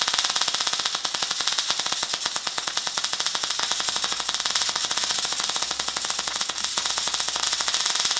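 Fast, dense, sharp crackle like frying bacon, steady throughout; MIG arc running at about 150 amps and 15 volts.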